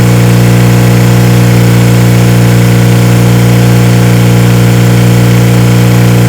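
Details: 1977 Kawasaki KZ1000 D6 (Z1) sidecar racer, first run after about 20-25 years stored: loud deep idle throbbing about 160 times a minute, running on four cylinders with an odd, funky exhaust note; cause unclear.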